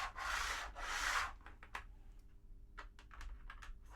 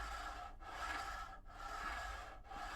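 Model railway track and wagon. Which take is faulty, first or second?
first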